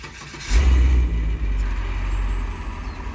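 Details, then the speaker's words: 2007 GMC C5500 crane utility truck, 8.1 L Vortec running on propane, 167,000 miles, driven under 1,000 miles to the lot: it catches within half a second and settles into a steady, even low rumble. Healthy start and idle. "This truck was driven into us a little under 1,000 miles, but it starts right up, sounds great. You can hear that now."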